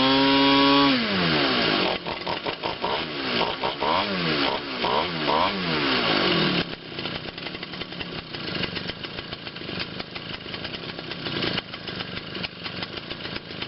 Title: My Quatra 52cc Gas engine finally hand starts